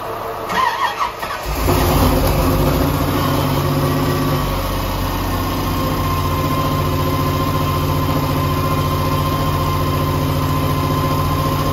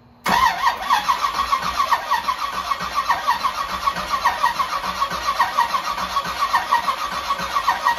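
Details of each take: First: 1984 Camaro Z28, 355 small-block with Weiand 144 supercharger, sat over a year: brief starter churn, then it catches into a slightly uneven, lumpy idle while leftover oil from the oil change smokes. Rough idle. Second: 1984 Camaro Z28 with a 355 small-block V8, Weiand 144 supercharger and Brawler 750 carb, after sitting over a year and a fuel line fix: the starter spins briefly, then it catches and settles into an even, steady lope; normal start and idle.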